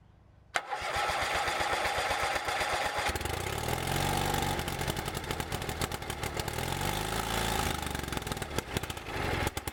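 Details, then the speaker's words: Bolens QT17 single-cylinder tractor, sat for years, first start after oil change, breaker points set, new carburetor gasket and air element: brief crank, catches into quick steady putter, no misfires or knocks; starts normally, then smokes white. "Yes, it started."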